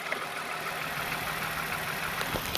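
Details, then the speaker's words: 2015 Toyota Sienna petrol V6 at idle after repair. It had a ticking noise, a check engine light and code P219D. Now it idles with an even, steady hum and no ticking from the top of the engine. "No ticking, see? No ticking."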